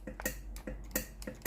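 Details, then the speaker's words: Steam iron station GC9315 powered on, switch pressed: sharp dry ticking about three a second but no steam and no water pump sound; failed boiler. "un fort tic-tac, mais aucune vapeur ne sort du radiateur devant le poêle. La machine a un vrai problème, comme signalé, la vapeur ne sort pas."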